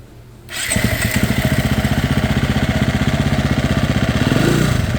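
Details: Fuel-injected off-road dirt bike that repeatedly stalled on a desert ride: starts and runs with a fast, slightly uneven thump near four per second, unsteady idle.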